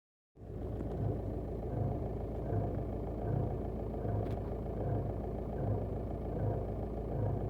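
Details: VW 1.9 TDI 105 hp diesel at idle: steady idle with a low, uneven thump a little over once a second from the right side of the engine; owner asks what causes it, cause unknown.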